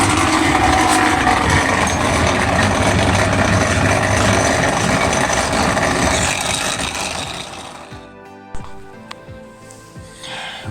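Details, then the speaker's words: Automatic top-load washing machine on spin cycle: loud rough grinding roar during spin that dies away as it slows; faulty noisy drain pump. "as you can hear is a big noise coming from the drain"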